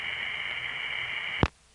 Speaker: you know I said that word sheesh spontaneously but that's actually a good impression of the noise on that line I assure you all calls to that area did not sound like that I just got a really bad trunk from London to Windsor